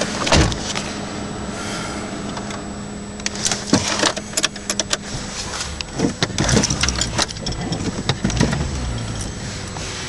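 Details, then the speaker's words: 2003 Dodge Intrepid, 2.7 L engine (rebuilt, under 40,000 miles on it; car under 84,000 miles), idling: several sharp, heavy clunks as the selector moves in and out of gear; owner believes it's the transmission, not confirmed. "But what it'll do is it'll clunk when you go to take it in and out of gear."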